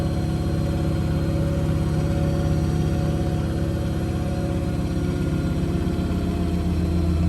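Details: Blomberg RapidJET LWF194520QW 9kg 1400rpm washing machine during spin: steady low drone with an even rhythmic hum and no knocking; spinning quietly and normally (it knocks at other times when out of balance).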